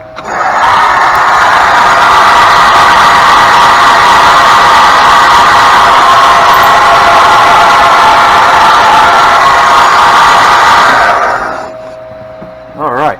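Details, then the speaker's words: EZGO golf cart that had been submerged in a pond and drained, cranking: loud steady high-pitched scream for the whole cranking, stopping when it quits; failing starter generator bearing. "so obviously we hear that Baron just screaming its head off when it's turning over"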